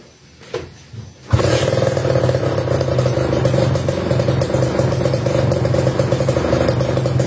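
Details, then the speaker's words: Kawasaki Ninja RR New two-stroke fitted with a KDX racing exhaust (stock exhaust found torn near the catalyst); fires after a short quiet start and revs crisp, raspy and even, healthy and free-revving; C-shaped header hits the front fender. "Oke sip, suaranya cakep banget ya tadi ya."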